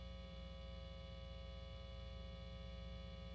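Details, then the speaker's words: Foals FJM7 Jazzmaster copy with upgraded pickups on the bridge-only single pickup gives a steady low 60-cycle mains hum with faint hiss. "Now, when we switch over. To our bridge only position. You can hear the 60 cycle hum for sure."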